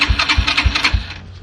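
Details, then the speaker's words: Yamaha TT-R125 dirt bike, about 10 years in a barn: electric starter chugs over slow compression strokes, never catches, then winds down; fuel starved, with gas found leaking from the carburetor. "Okay, I think that's the problem. There's a gas leak somewhere. Yep, I see it running out right now."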